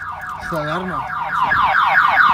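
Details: 1997 Pontiac Firebird V6: loud repeating warbling siren sweeping up and down about twice a second; factory anti-theft alarm triggered, car won't start until alarm is unlocked.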